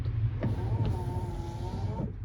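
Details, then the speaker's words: 1986 Ford F350 6.9 IDI after repair, engine off: wiper motor runs on high speed with an electric hum and slightly labouring tone, attributed to the truck not running. "the wipers are working do we have high oh my God we have high it's struggling cuz the truck's not running"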